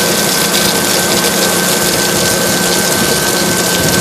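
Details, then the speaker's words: Water tower (swamp cooler) pump, after isolating it with shut-off valves so it can prime: steady, even hum with a constant high tone and water rush; primed and running smoothly, "purrs like a cat." "When it actually starts to work, it hums like a beauty. Purrs like a cat."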